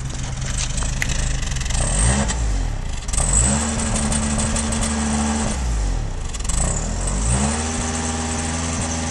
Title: Toyota Camry engine idling.misfire